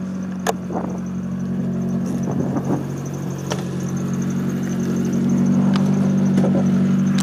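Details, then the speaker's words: 1993 Mazda Miata with Nissan SR20DET swap, cams and 3-inch straight pipe, starts instantly: deep, steady burbling idle with an even low drone and no misses or knocks; loud but healthy idle. "With the cams and the 3-inch straight pipe, the car is a little bit louder. It's not unbearable, but you know, it's actually sounds pretty nice."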